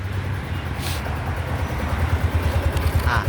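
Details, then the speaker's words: Yamaha Grand Filano scooter, 30,000+ km, after repair of loud engine noise from a cracked valve guide and bent valve: reassembled with new seal and fresh engine oil; steady low exhaust putter at idle, even, no ticking or knocking, no engine warning light; normal idle. "ท่อประมาณนี้นี่สตาร์ทอยู่นะครับก็ประมาณนี้เลยนี่เลยไม่มีไฟเครื่องโชว์นะ"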